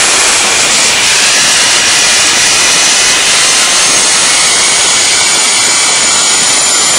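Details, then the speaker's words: DIY gas jet turbine go-kart built around a turbocharger, diesel-fuelled afterburner, idle about 22000 rpm: loud steady hissing roar, even continuous rush with no throb or pulsing; normal running. "it's all one continuous thing and that's why with a jet engine it's just you just get a continuous noise you don't get the throb like you do with a uh there another word throb like you do with a uh um internal combustion engine"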